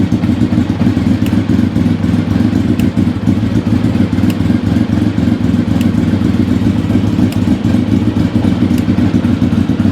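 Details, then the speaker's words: Engine first started after standing four years, idling roughly with a faint sharp tick about every second and a half; source not yet found. "Something's a ticking. I'll have to see what that is. No idea."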